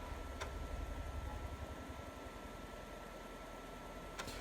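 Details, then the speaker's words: Commodore 128D floppy drive after restoration, head cleaned, rails needing grease, stored over 20 years; loading a game, spinning noise much reduced, soft even whir with faint ticking over the case fan's hum. Normal drive spin with fan hum. "I just loaded commando in and now the spinning sound is much less the noisy sound is from the irritating fan that is on these these plastic models"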